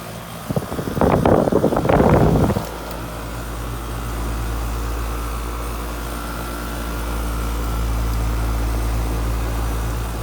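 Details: Air conditioning condenser unit in bushes, started up after replacing a bad capacitor on a no-cooling call: a short clatter, then a steady, even fan whoosh with a low compressor hum, so the unit is starting and running normally.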